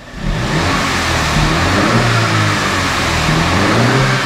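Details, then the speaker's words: F56 Mini Cooper S, mapped for pops and crackles, in mid mode: revs climb and settle smoothly with no pops, crackles or roughness. Normal revving. "so this car has 100 been mapped and they've mapped it to do pops and farts so in in the mid mode you know just normal"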